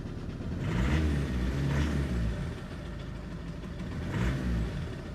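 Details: Audi A3 after cold start: uneven idle surging and sagging every second or two, stumbling beat from misfire; owner suspects fuel injectors.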